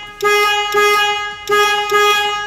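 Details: Horn after a temporary fix of its contact strips with liquid gasket pending part replacement: four clean blasts of a steady two-tone horn, each note full and clear with no rasp; horn works normally.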